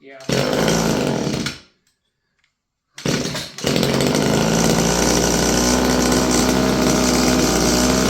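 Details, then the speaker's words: Stihl FS56 curved-shaft string trimmer, about 30 years old, two-stroke: harsh buzz dies out, then it restarts and holds a steady mid speed without reaching full revs. Lean running with no high speed unless choked; owner suspects the carburetor needs work. "No high speed, unless you choke it. Yeah, needs carb work, eh?"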